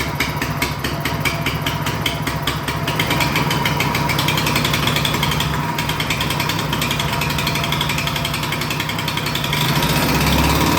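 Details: Toro Power Clear single-stage snowblower, single-cylinder, that backfired and wouldn't start, after repair with oil topped up: steady even chuffing beat at constant speed, no misses or pops; running normally.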